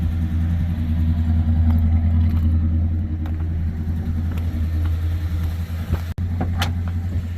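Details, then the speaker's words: 1972 Plymouth Fury I V8, revived after years of neglect, running off its own fuel supply: deep, steady burble at even idle without misses or knocks; sounds healthy. "I think she's running off her own fuel supply, too. Now, don't even sound bad."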